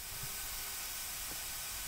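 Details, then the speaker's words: VW Passat R36 with air ride suspension: a continuous sharp hiss as air is bled from the air tank through a cracked-open fitting before the tank is swapped. "like a hissing, I'm currently draining the air out of the tank without it exploding all over me."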